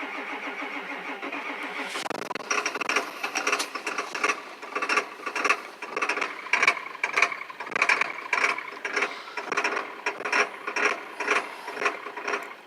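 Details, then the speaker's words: 1999 Ford Super Duty 7.3 diesel with a 1994.5 HPOP installed, about 30°F, fresh stiff oil, weak starter and batteries, jumped from another truck: labored cranking about two slow turns a second that never catches; owner suspects possibly no fuel. "but you can hear this starter it's pretty slow so let's see if we can't build up pressure again here"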